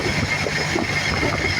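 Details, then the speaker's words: 1988 Ford F-150 5.0 V8 at idle: a thin, steady high-pitched whine with hissing air from the air injection pump and bypass valve venting air, which is normal operation. "Alright, I don't know how good my phone's microphone is, but I can hear a high-pitched whine."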